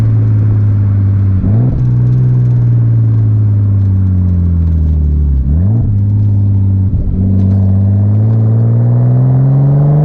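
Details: 1989 Nissan Skyline R32 GTS-t on a test drive after fitting new cheap coil packs, exhaust audible: the engine rises in pitch through each gear with crisp drops at the shifts and no stumble; smooth acceleration under boost.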